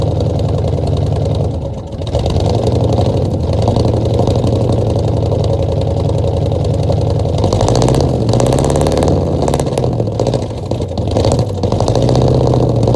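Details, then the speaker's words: 1966 Ford F100 V8, first start in 17 years, bottle-fed fuel into carburetor, no coolant with freeze plugs out: runs with stumbling uneven beat, almost idles, definite miss; owner thinks it has a bad miss beyond carb setup. "But she almost tried to idle. She got a definite miss."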